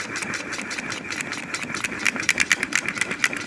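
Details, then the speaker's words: Ceiling fan runs with a jerking motion, giving rapid uneven clacking that shakes the whole mount; the repairer says the cause isn't the bearing and will fix it without replacing parts. "चलते समय खट-खट करता है और पूरे NDA को हिला देता है"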